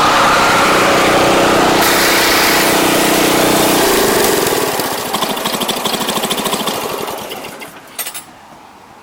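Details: Giant Vac thatcher power rake, model 5ICT, small petrol engine not disassembled during restyle: runs with a busy, even chatter, then settles into a lower, steadier note when shifted to transport mode; normal running.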